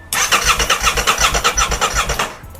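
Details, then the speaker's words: Crashed 2023 Aprilia RS660 under rebuild, with fresh oil, no fuel tank or coolant fitted: strong even cranking about seven to eight beats per second with crisp starter whirr, starter relay working, no start expected; normal starter cranking. "There's no coolants, but listen to this. The starter relay works. And it cranks over. That is just excellent."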